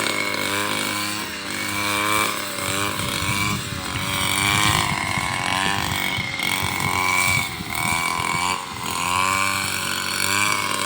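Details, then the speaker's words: Robin NB 351 two-stroke brush cutter on premixed fuel cutting rice field: buzzy note rises and dips with each pass, pulling evenly without stumbling; healthy engine. "เปิดเครื่องก็ไม่มีดับไม่มีสะดุดนะครับมีแต่น้ำมันจะหมดในเราก็ลุยครับ"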